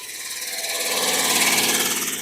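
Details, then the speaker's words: Red Camaro pulled from a field, first start on old fuel dumped in, ignition out so started via bit driver and 10 mm socket; high raspy scraping pulsing with engine speed as the cooling fan rubs its shroud. "There's that fan shroud rubbing."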